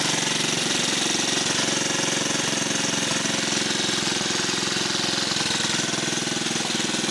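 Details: Rare 1950 REO small engine, just revived, air cleaner off: rapid, even popping beat with steady rhythm, no misfires or faltering; normal running.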